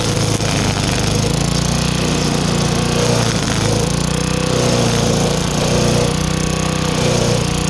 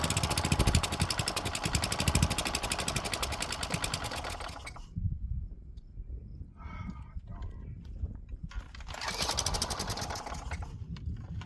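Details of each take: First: Craftsman wheeled weed wacker, two-stroke, found dirty, missing its spark plug and sat for an unknown time; now running with a new plug, cleaned carb, fresh gas and choke off. Steady, unbroken drone while cutting, no misses or surging; healthy. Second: Craftsman wheeled weed wacker, found dirty, missing its spark plug and sat for an unknown time; it fires, runs rough, cuts out and catches again only on ether. Suspected dirty carb with old fuel and gunk; jets and fuel pickup may need clearing.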